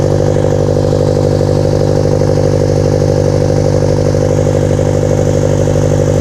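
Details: Scion FR-S/Subaru BRZ boxer after installing CNT Racing unequal-length headers with new gaskets: steady, even, throaty burble at about three pulses a second with no misses or rattles; healthy normal idle.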